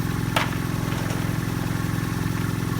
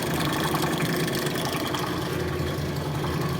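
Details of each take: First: Vintage belt-driven rotary vane vacuum pump for a neon bench, first start on old oil, belt slightly loose: fast, regular wet chugging and gurgle over low motor drone; owner unsure if normal, plans warm-up then oil drain and flush. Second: Rotary vane vacuum pump, retrofitted with KF25 fittings and overfilled with oil, evacuating a neon bombarding manifold: steady low hum with a soft churning rhythm, no knocks or rattles; running normally under load.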